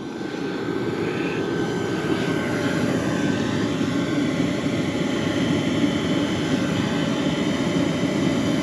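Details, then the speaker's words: BougeRV 12 V diesel heater test-fit in a Chevy van on a 20-degree day: burner and fan kicked up to full output with a steady, even roar; running healthy on high. "And she's kicked up good now. I hear a a jin and a spinning."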